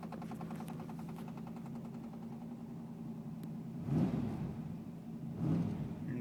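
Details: 1984 Chevrolet Camaro V8 hums steadily with a quick, light, intermittent ticking that fades out partway. Heard at start and while driving, hot or cold. Cause unknown. Intermittent engine ticking.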